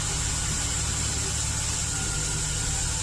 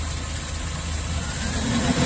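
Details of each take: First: Chevy Express V8 idles with an uneven, stumbling beat under a steady high hiss as cylinder 1 misfires, possibly not fully warmed up; the cylinder walls are scored and leak compression into the crankcase, and an additive poured in failed to fix it. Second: Chevy Express V8 at about 330,000 miles, with number 1 cylinder walls scored, after an in-can ring-freeing treatment: even, low burble with no misses or weird noises, only a slight shake. Normal idle.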